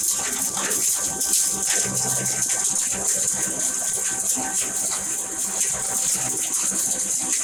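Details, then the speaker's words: 7.5 hp double-chamber masala pulverizer grinder with cyclone, cyclone and main machine just switched on: steady hissing airflow rush and rattling material through the cyclone, even, no knocks; normal running sound. "आवाज normal आवाजामध्ये येणार आहे. बघा, आता मी cyclone चालू करतो, machine चालू झाली, मेन मशीन चालू झाली."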